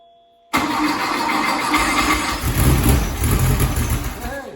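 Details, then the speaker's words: 1972 VW Beetle with a freshly built engine, first start on fuel poured into the carburetor before the fuel pump had primed: catches straight away, chugs unevenly for about four seconds, then dies; brief start on primed fuel. "It's doing stuff. Now it might take a few tries because the fuel has to pump into the pump and then up to the carburetor. So that was just running on whatever I poured in the top."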